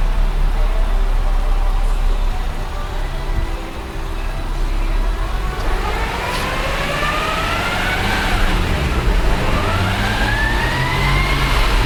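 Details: Nissan Skyline ER34 GTT with a Nissan transmission only 3,000 km old, whining like a straight-cut gear; the whine climbs with road speed and drops at each upshift. Mechanic diagnosed excessive transmission bearing wear; clutch release bearing fine.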